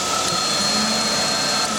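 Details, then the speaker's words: 2002 GMC Sonoma 2.2L with P0410 and misfire: secondary air pump energized via back-probed vacuum solenoid power side in closed loop; fuses and power good, steady high-pitched electric hum, pump running normally. "So, all that's working. The fuses are good. The power there. You hear the pump running."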